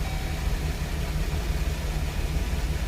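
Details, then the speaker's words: 2006 Chevy Express with a P0300 random misfire code traced to an ignition misfire: now a low, even idle rumble with no stumbles or skipped beats; the engine is no longer misfiring. "we just had an ignition misfire but that's those are things that you want to look at when it comes to a misfire now the car is no longer misfiring"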